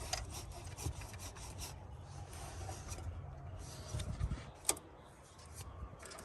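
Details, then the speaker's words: 2008 Jeep Wrangler JKU with belt squeal and battery light: belt tension released, power steering pulley spun by hand gives only soft dry whir, no grinding; that bearing is fine, water pump found faulty. "I'm going to spin these pulleys. Doesn't sound like it's that one. It doesn't sound like it's that one."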